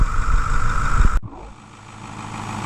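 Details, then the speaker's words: 2010 Ford F-250 6.4 Powerstroke diesel after rebuild, cold, heard under the hood: deep, even idle with steady clatter, then muffled and quieter; smooth and regular, no smoke, nothing abnormal. "So, looking underneath the hood, you guys can see that this engine sounds absolutely excellent. Absolutely nothing wrong with it whatsoever. Runs absolutely gorgeous."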